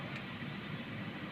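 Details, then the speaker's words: Honda Mobilio, just started and stationary: quiet, steady even idle with no surging or missing, normal below 1900 rpm, before revving; owner complains rpm cuts out when revved to 4000 stationary, which is said to be normal for this engine. "Ya, sekarang RPM normal, ini standar di bawah 1900 ya."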